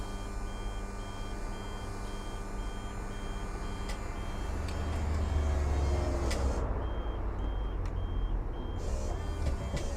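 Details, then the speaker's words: E&P Level C hydraulic levelling, owned about 13-14 months, on a 2020 Bailey Alicanto Grande Porto twin-axle caravan, auto levelling at the front, nearly level. Steady pump drone under evenly spaced high beeps, about two a second; normal operation with warning beeps. "and now it's just going to level it at the front and as you can see in the the gyro in the middle it is almost level"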